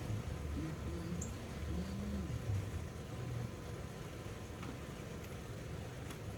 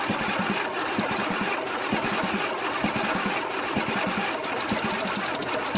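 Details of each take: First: 1982 Pontiac Firebird engine unstarted for over 22 years, cranked with carburetor off to pre-oil the block; quiet first half, then the starter spins it with a steady chug about four times a second, not firing; normal cranking. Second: 1982 Pontiac Firebird Trans Am with a 5.0 V8 (owner believes it is a 307), unstarted for about 22 years, cranked with the carburetor off to pre-oil the engine; the starter churns rapidly and steadily, turning the engine evenly but never catching.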